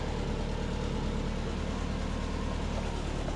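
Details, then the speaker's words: Subaru Forester SF5, auto-to-6-speed-manual conversion, after reloading the base fuel map: deep, smooth, even idle with no backfiring, pops or misses; normal idle, running much better. "so she's running a lot better I'll start her up and you can just hear that it's so much better so much better"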